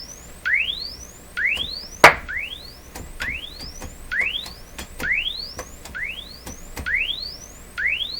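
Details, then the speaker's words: RCA Victor 67V1 console radio after replacing its paper audio capacitors, including the tone control capacitors, run on a dim-bulb tester: rising sweep tones about every 0.9 s, clean and even with no pops or crackle. "tone control i changed the tone control capacitors both the same volume level i'd say"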